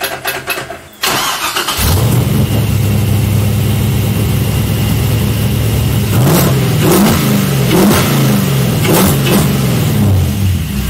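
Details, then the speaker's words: LS V8-swapped Mazda Miata after cleaning two clogged fuel injectors that caused a misfire; cranks, catches quickly, crisp blips falling back cleanly, no stumble, "sounds like a beast now": normal revving. "yeah hell yeah [Music] sounds like a beast now"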